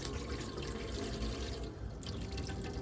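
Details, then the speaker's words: Bailey Phoenix 650 caravan water pump drawing from a full Aquaroll after priming; steady even rush of water from the tap with no sputtering or air gasps, delivering smoothly and normally. "When you press that on and you have your Aquaroll full and it's bringing water through, you may have a couple of gasps just like that, but it will eventually be nice and fluid."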